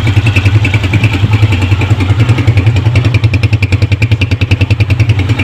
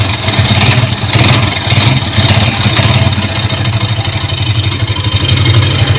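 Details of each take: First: Honda motorcycle after the repair: even, steady single-cylinder putter at about three and a half beats a second at idle, no knocks or rattles; previous rattle gone. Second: Honda motorcycle at idle: fast, rough metallic ticking like loose tappets but deeper; the cause is a broken weld on the flywheel magnet rotor, not the tappets.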